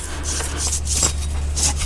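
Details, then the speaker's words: Worn front wheel hub bearing from a 2005 Subaru Legacy, removed and spun by hand: a dry, gritty rasp in repeated strokes, far too loose compared with the new, tighter bearing. "I can hear I don't know if you guys can hear that, but yeah, this thing is way too free spilling spinning."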